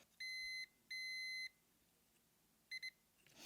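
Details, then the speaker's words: Continuity test on the voice coil of a foam-rotted 6.5-inch JBL subwoofer from a 1993 Ford Explorer. Clean high beeps, two long then two short, as the probes touch: continuity present, voice coil intact. "yeah we definitely have continuity and uh let's just tell me that this coil isn't broken yet"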